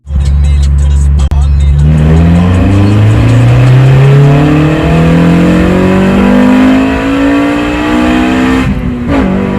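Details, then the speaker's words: 8th-gen car after fixing a cylinder 2 misfire by swapping in a junkyard injector; engine pulls cleanly, note climbing steadily with no stumble. Owner still suspects the injectors are making it run lean. "so that whole misfire situation turned out to be my injector on cylinder two so i ran to the junkyard swapped in another injector and a misfire was fixed"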